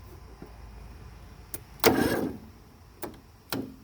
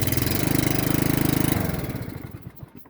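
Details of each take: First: Briggs 17.5 mower engine, hard to start and barely turning over: slow, uneven lurching crank about once a second, never catching; starter already swapped for a known good one, owner suspects valves need adjustment. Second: Briggs 17.5 mower engine after valve adjustment and an inline fuel shutoff added for fuel filling the crankcase: even, quick putter running smoothly, then slowing and fading at shutdown; starts and runs fine.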